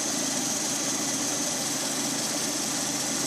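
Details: Lada Priora, 126 engine, warmed up, 50,000 km, 20,000 km after repair of piston knock: steady, even idle with smooth hiss and no tapping or knocking; normal healthy idle after repair.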